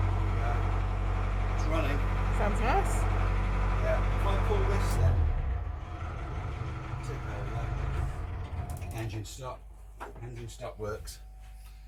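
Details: Diesel engine in a 38ft steel pilothouse cutter sailing yacht, test run after 15 years unused; low, steady thrum for about five seconds, then shut down. Runs evenly with no knocking.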